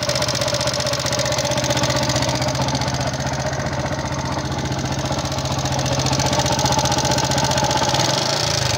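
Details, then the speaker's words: Yamaha Jupiter MX King fuel-injected motorcycle at steady idle, with a rough, fast, fairly even click-clack ticking up in the head, like loose valve clearance. Noise was analysed before the engine was stripped; the cause is suspected, not confirmed. "Keluhannya adalah mesinnya mengeluarkan suara berisik kasar, klik-klik-klik, klak-klak-klak, kira-kira seperti itu, teman-teman."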